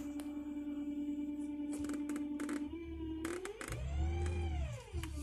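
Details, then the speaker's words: 2002 BMW X5 running with no drive: it whines in reverse or drive and will not move. Steady mid-pitched whine over idle swoops up and back down as the selector goes from D to neutral; turbine speed and engine rpm read nearly the same. Transmission cause suspected. "Now in D, back to neutral. You hear the whining."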